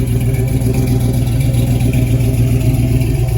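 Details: '68 Chevelle wagon with an LS swap just wired and fired on a new Holley Terminator X Max EFI system, still learning; deep, even V8 burble with steady pulses as it's blipped, no misses or stumbles, running clean and healthy.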